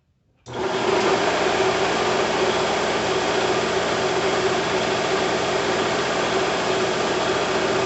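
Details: Bigger shop air compressor, motor newly grounded to the frame, first start with no regulator fitted: motor kicks on and settles into an even drone with light pumping chatter; starts cleanly and runs steady, normal running.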